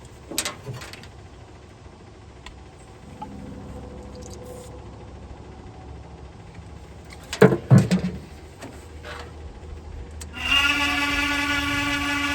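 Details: 1969 International Scout 800 heater blower motor, removed and run after penetrating oil, spins up to a steady hum with a raspy whirring edge; vibrates and noisy, dry or worn bearing suspected, owner thinks it's just bad.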